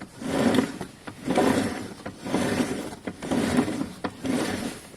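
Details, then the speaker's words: A Piaggio Fly scooter, mileage well up over four months of ownership, gives a harsh scraping grind about once per wheel turn from the rear brake. The rear pads are worn to nothing, metal on metal; new pads have been ordered. "the rear pads are gone they're non-existent um I can't even get in there but they're basically it's metal on metal and it's starting to let me see if you can hear it"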